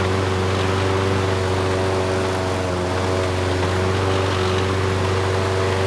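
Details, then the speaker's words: Craftsman 917.374541 walk-behind mower with engine 128T02-1270-B1, after freeing a sticking auto choke: steady, even drone with only an occasional slight stutter; running normally. "the choke sounds like it is turning off now the engine is running well there is a slight stutter every once in a while"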